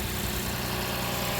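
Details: 2006 Lexus IS250 AWD just started after battery reconnect, previously dead to the start button, security light still flashing: steady, even idle hum with no misses, knocks or ticks; normal idle.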